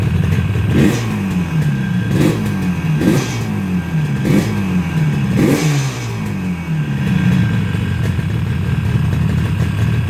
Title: yamaha rd 350 1st start after rebuild.